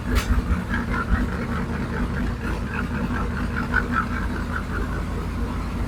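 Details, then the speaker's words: 1967 Mustang fastback Shelby GT500 V8 at idle on first start for diagnosis, after another shop's work: uneven loping, stumbling idle with faint clatter; rough running from valves out of adjustment, adjusted to zero lash. "if it does you'll be able to see how badly it runs and I'm just going to listen around for any noises ticks anything along those lines"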